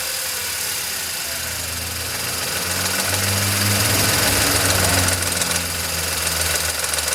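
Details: VW Polo 9N 1.2 12V three-cylinder with 198,000 km, idling: steady metallic tap about three or four a second over the engine note, developed over time, heard only at idle; owner guesses timing chain, unsure; metallic knocking at idle.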